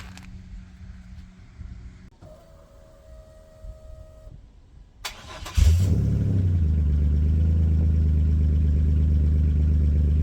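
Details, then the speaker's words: Chevrolet C1500 truck with 3100 V6 turbo, after fitting a new Flowmaster FlowFX muffler and 3-inch tailpipe; first start, cold, checking welds for pinholes. Handling noise, then it fires and settles into a deep, even exhaust burble with no puffing leaks: normal exhaust idle. "We'll have to see what it sounds like when it's warmed up here. I have a feeling it should quiet down nice."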